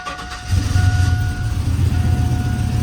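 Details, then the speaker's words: Cammed 450hp truck engine catches cleanly and settles into a deep, choppy rumble with no ticking or exhaust puffing after loose header gaskets were tightened and replaced; the fix worked. "oh hell yeah hell yeah it worked [ __ ] yeah guys [ __ ] yeah so it was just the gaskets"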